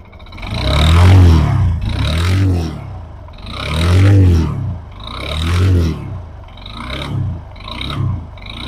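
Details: TVS Apache RTR 160 BS6 2V motorcycle: each throttle blip brings a loose metallic rattle that rises and falls with revs. A timing chain fault was first suspected, but on inspection excessive play was found in the starter one-way clutch.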